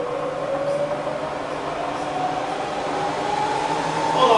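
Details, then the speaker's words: Bridgeport vari-speed milling machine spindle after changing from high to low range: smooth steady hum with tone climbing gently; running clean, nothing rough. "So I push the handle in, turn it round, turn the spindle a bit, make sure it's locked in before we fire up, and there's low range."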